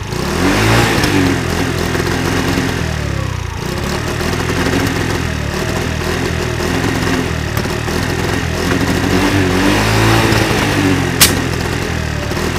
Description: 50cc moped backfire problem